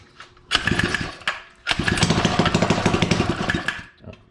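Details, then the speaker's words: Suzuki ATV with the engine kill switch hotwired and a leaking fuel line: the small single-cylinder catches after a couple of short bursts, then runs at an uneven, rapid putter for a few seconds before fading. "and it starts now kill switch so that's a good thing so basically the only thing like it runs it moves it's on its own path power"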